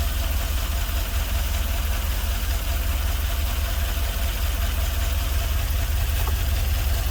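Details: LS-swapped GMC Vandura, first start after ECU flash: deep V8 idle, uneven lumpy beat about two and a half times a second, running on five cylinders; owner suspects a couple of injectors not firing; misfire at idle.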